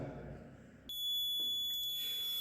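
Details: Maxwell's inductance bridge trainer kit in an instrumentation lab: a steady high-pitched detector tone comes in suddenly and holds over a quiet room, showing the bridge circuit is still unbalanced while measuring an unknown inductance.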